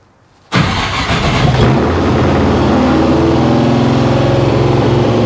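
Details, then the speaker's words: 1955 Chevy Nomad, small-block Chevy with sheet-metal tunnel ram and dual Holley Sniper EFI, on first start. It catches and shoots to a steady 2700 rpm high idle with throttle blades open too far; the owner suspects the tuner lost its settings. "okay well shot to 2700 RPM for some reason there that's a that's a new one"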